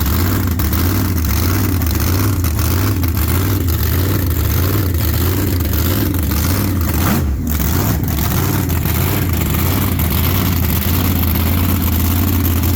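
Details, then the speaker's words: Race car V8 warming up after bad axle bearing replacement: loud, lumpy, even idle without misses; idle smooth and gear temperature stays good while running, normal warm-up. "yeah so idle smooth and gear temp stays good while it's running so yeah we'll go with"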